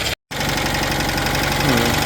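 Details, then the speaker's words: Citroën 2CV with new flat-twin engine at idle: light steady rubbing and scraping riding over the beat, even with cover off; cooling fan rubbing on a bent cowling, first thought to be catching on alternator or pulley; plan to remove fan and pull cowling out. "Even with that cover off, we've still got some, that's rubbing there and that's rubbing there, but this cowling seems really bent and I don't know when that's happened."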